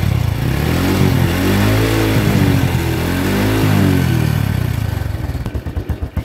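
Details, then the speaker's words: Honda Revo Absolute with exhaust backfire on deceleration, tested with both SAS hoses capped. It revs up and rolls off cleanly with a steady exhaust beat and no pops on throttle close; no backfire. "Nah di sini terbukti ya ketika ditutup selang SS nya ini yang satu saya tutup kedua-duanya saya tutup bukan yang satu saya itu kedua-duanya saya tutup tembakan di knalpot pun sudah hilang"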